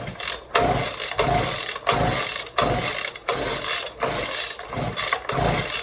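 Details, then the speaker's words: Echo PB-200 leaf blower being revived, pull-started with slight throttle; repeated pull bursts about every 0.7 seconds, coughing "ba ba ba" and almost catching but not running; hard starting, fires briefly. "Oh, she tried. She tried. Oh, she is. She's close. If you can't hear that, it's going ba ba ba. I gave it a little bit of throttle. I think that helped."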